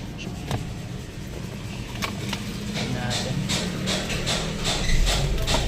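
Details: Ford Escape started after replacing the part and disconnecting the battery to clear the check engine light: catches and settles into a smooth, steady low idle with no stumbling; check engine light gone afterward.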